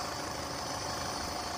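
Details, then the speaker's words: Yamaha F150 outboard with rough, stumbling idle: constant airy hiss over the idle, suspected intake air leak; intake covered in grease, possibly reinstalled incorrectly, cause unconfirmed. "But I hear a leak. And somebody has grease all over this. So, I'm wondering if somebody pulled this intake off and didn't put it back on right."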